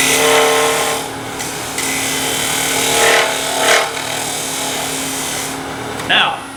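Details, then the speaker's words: Wood lathe, bowl scraper on a bowl interior, light finishing cut from bottom toward top: steady scraping with a low buzz, then rising chatter near the end as the thin bowl wall vibrates against the tool edge. Fix: hand on the outside to dampen. "the end of that cut oh you heard some vibration and that's because this is thin enough out here that it was doing this against the edge of the tool"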